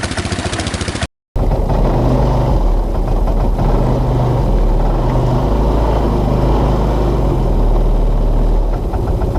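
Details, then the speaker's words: 2014 Linhai Big Horn 400 UTV single-cylinder engine misfiring and stumbling once warm; CDI pulse generator (trigger) found to go open circuit when hot. "so I wrote it around and as it got hot it started to misfire and stumble"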